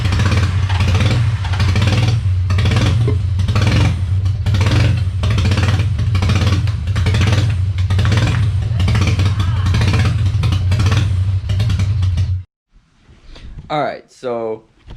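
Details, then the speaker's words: Freshly rebuilt VQ35DE swapped into a 240sx S13: loud idle that hunts and stumbles at about three to four pulses a second, then dies. Throttle body relearn done; owner blames vacuum leaks. "so the only reasonable answer as to why it's running the way it is is the plethora of vacuum leaks we got going on here"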